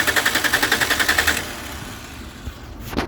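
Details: Engine with throttle body motor that calibrates normally at key-on and connectors checked: quick even cranking beats, three or four a second, just over a second, no firing. Cranks but won't start.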